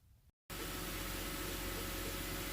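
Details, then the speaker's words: 2007 BMW 323 with the engine running, before pump replacement: a steady high whine from a failing power steering pump, said to be a common BMW problem. "So here, this is the symptom of a bad power steering pump. So I don't know if you can hear that noise, but it's whining quite a bit, and it's a common problem on those BMW, so we'll get that replaced."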